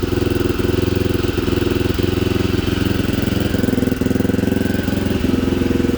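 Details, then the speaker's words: 1987 Honda XL250R RFVC single-cylinder barn-find dirt bike, after years sitting, slightly warmed but still cold, small revs: even steady thumping idle, no knocks, rattles or stumbles, unusually quiet; normal idle. "sounds good it's warmed up a little bit we gotta do little baby revs because it's cold sounds great engines nice and quiet she runs good very powerful sounds really good the engine's so quiet normally they're a lot noisier"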